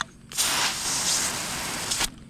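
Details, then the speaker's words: Home water pressure pump system whose pressure switch points welded together, so the pump did not cut off and pressure went over 100 psi. A sudden loud, steady hiss of spraying water for about two seconds, then it stops: relief valve venting overpressure. "my pressure relief valve is blew out check this out over 100 psi my points have welded together and my pump did not cut off we got to get some pressure relieved asap"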